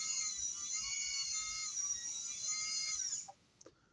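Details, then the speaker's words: Breadboard control system for a robotic dinghy, with an Arduino and a transmitter and receiver: high, steady electric whine for about three seconds, then a soft click as it stops; the servo turns right or left normally. "Turns uh It'll turn the motor either right or left."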